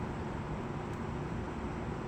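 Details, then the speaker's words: Midea portable A/C in heat mode in a cold 60° room, set to 70–75: steady, even fan rush with no rise or strain, airflow soft and weak before the unit cuts out; cause unknown. "it just turns itself on like this it starts to spool up it's not even blowing very hard right"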